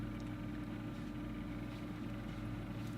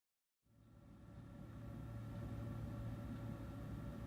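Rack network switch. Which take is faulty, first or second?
second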